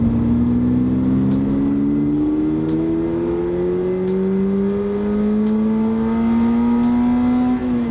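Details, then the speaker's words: 2022 Subaru BRZ accelerating hard: engine note climbs smoothly as revs build through a long pull (third gear runs to about 85), then drops at the shift; healthy high-revving engine. "Good God, that is so high revving. And like third gear goes all the way out to like 85, which is ridiculous."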